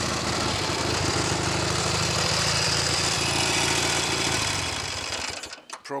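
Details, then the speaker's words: Norton Navigator 350 single-cylinder idling in neutral: busy uneven clatter about three knocks a second; tank rattling suspected, much of the noise thought due to a gearbox fault with no second gear, gearbox to be opened. "yeah that's the tank rattling around making that noise we can deal with all things like that if and when I get the gearbox sorted a lot of that noise I think is due to the gearbox fault"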